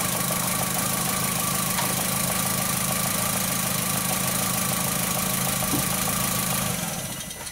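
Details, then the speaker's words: 2004 VW Jetta 2.0L engine at idle with cylinder 3 coil lead pulled: steady but lumpy, stumbling idle, no spark on number three; P0303 misfire. "so on our number three go and pull this out and see you're not hearing anything not seeing any spark"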